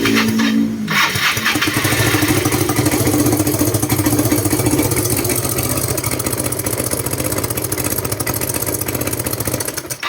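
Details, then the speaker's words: Yamaha Mio/Fino carburetor scooter, hard to start with full throttle and popping at exhaust and carburetor: long labored cranking and uneven chugging; engine compression still good, suspected slack cam chain shifting valve timing marks. "เดี๋ยวเรามาเช็คนะครับคันนี้น่าจะมีปัญหานะเกี่ยวกับเอ่อระบบราวินนะครับเพราะว่าเครื่องก็ยังฟิตอยู่นะครับราิ้นน่าจะมีปัญหาน่าจะเคลื่อนนะครับเพราะว่าโซ่ราวินน่าจะหย่อนหย่อนแล้วทำให้มาร์คไม่ตรงนะครับผม"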